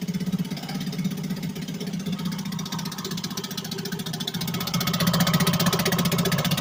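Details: 1963 Gale-made Sea King 3hp single-cylinder outboard after a new water pump rotor, fired up once more; putters at a steady, fairly even rate, picking up slightly toward the end, running normally.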